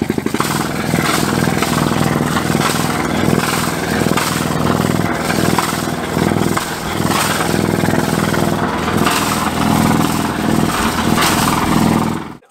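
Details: Volvo Penta marine diesel on a sailboat, in work on injector blow-by. Loud, steady clatter on an even beat with no misses, then it winds down. Normal running.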